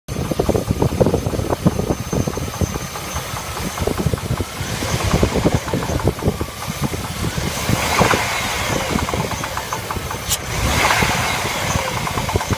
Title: Стук двигателя L35